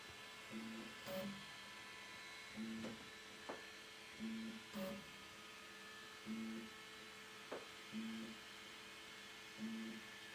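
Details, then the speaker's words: Elegoo Centauri Carbon 3D printer, new, during initial setup with the door open: an even cycle of short motor buzzes and a soft tap about every 1.7 seconds over faint fan hum; normal roughly 7x7 auto bed-leveling probing. "Now it's doing the uh I don't know like six or 7 by seven bed leveling."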